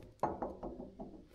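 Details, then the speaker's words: Old Renault Super 5 tractor, front axle rebuilt with ground-to-fit wooden bushing: wheel rocked gives dull wooden knocks about a fifth of a second apart, play in the front wheel bearing, needing adjustment and grease. "Et là tu vois, ça va tout seul. Et le jeu que t'entends, c'est le jeu au roulement"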